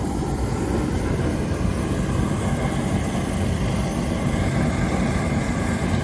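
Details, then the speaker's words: 2.5 MW universal fuel burner (gas or liquid) test firing with the combustion air blower accidentally off: steady deep roar with no fan whine, metal popping as the combustion chamber heats quickly. "so I got so many things going on at once I didn't even realize the blower wasn't turned on so you can definitely hear that metal popping it got hot a lot hotter in there real quick inside the combustion chamber"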